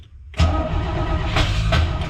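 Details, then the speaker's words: 1968 Camaro Z28 in neutral, keyed on too many times and flooded: short crank, then it catches abruptly and settles into a loud, slightly uneven idle; hard start from flooding. "Let's see if it starts up or if I've keyed it on too many times and now it's flooded."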